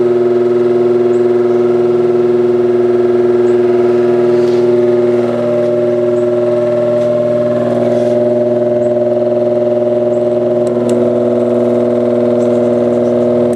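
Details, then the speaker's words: Recently bought vintage apparently single-speed oscillating fan, oscillator parts missing, first run by its owner, with an erratic switch: a steady droning hum with a loud buzzy overtone and no speed changes; noisy motor, thought high-mileage, possibly needing oiling. "yeah that's prettyy noisy I don't know that have a lot of lot of miles on it"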